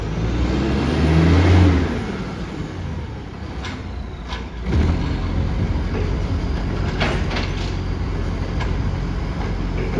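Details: Garbage truck SL01400 in Mandurah on Good Friday pulling away with a deep, loud, raspy roar that swells over street noise; massive exhaust leak.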